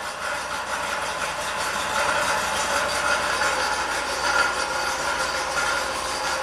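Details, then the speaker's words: 2003 Pontiac Grand Prix V6, 325k miles, long crank, rough running, P1635/P0107 codes, many parts replaced: uneven chugging idle wavering in loudness; rough idle, EGR valve suspected, not confirmed. "okay it's a little [Applause] unhappy keep in mind the EGR valve might be messed up"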